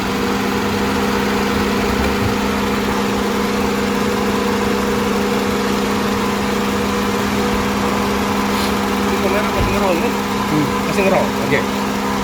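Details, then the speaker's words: Used car inspected before purchase, engine idling with the AC switched on to add load: an even, steady hum with no dipping or hunting. The engine stays stable, so the idle under AC load is normal. "Tapi kalau ketika AC sudah dinyalakan dia mesinnya tetap stabil begini, statis, itu top, segar."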